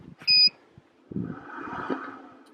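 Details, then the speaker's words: Midland PPG1000 portable power station: one short high beep as AC side is switched on, then soft fan whoosh that rises and shuts off within a second because there's no load; normal power-on behavior. "you can hear the fans kick on, and it realizes it's got no load, so they shut right back off."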